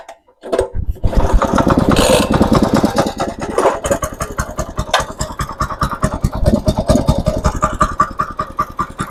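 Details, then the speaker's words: Mini motoblock/motocultivator, 170 engine, after rebuild with new cylinder liner (old one scored) and new rings: pops into life, fast fairly even single-cylinder putter without knocking or skipping. Normal running. "Mana xudo xolasa yurg'izib qo'ydik motoblokni ham."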